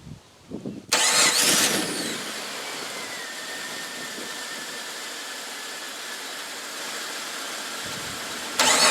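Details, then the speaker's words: 2000 Jeep Cherokee XJ starting after starter replacement: short, crisp crank catches quickly and settles into a smooth, even idle; starter and engine healthy. "well that sounds a hell of a lot better i'm going to say mission accomplished"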